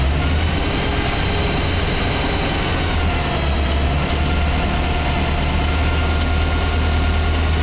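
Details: BMW E92 M3 V8 at idle after its 1200-mile service: a steady deep idle with a faint, fast clicking on top, cause not identified.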